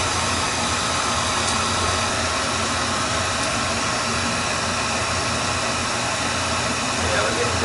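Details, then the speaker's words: Oil burner on a heating system, firing: steady even roar, no sputter, pulsing or surging; running clean and lean, normal operation. "It's running clean. It's running clean and lean."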